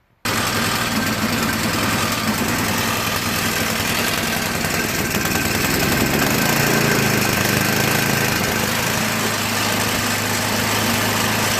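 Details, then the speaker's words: MTD Yard Machines 8HP 24-inch snow blower, overfilled oil flooded carburetor, crankcase and combustion chamber, electric start: steady small-engine drone with rough uneven beat and slow rise and dip in speed; surging from oil-fouled carburetor. "cked by putting too much oil over the fill valve the oil will pour into the carburetor and also the crankies just filled with it even the combustion chamber so if there's oil filled in the combustion chamber it's not going to start"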